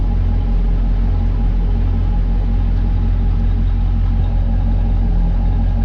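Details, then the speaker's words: Chevrolet Caprice LT1 V8 after replacing cracked #8 rear spark plug and gapping plugs to fix misfire; deep even rumble, smooth steady beat, no stumble, now running on all eight cylinders. "that sounds as good as I've heard it here the other side that sounds perfect I'm not gonna lie that sounds pretty good"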